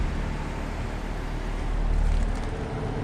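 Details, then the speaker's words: 2020 Bryant Preferred Series air conditioner outdoor unit, 103°F day: only steady condenser fan whoosh with no compressor hum; compressor not starting, suction line hot; owner suspected bad capacitor, which a tech then replaced. "I just woke up to this my downstairs Brian preferred is running without the compressor"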